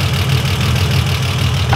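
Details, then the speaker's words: 1955 Ford Pop after fitting bigger jets in its Holley carburetor, revving: deep steady rumble with even beat, no misses or rattles, picks up well; runs clean, sounds a bit different than before. "it sounds quite nice now that's kind of nice but it certainly sounds a bit different"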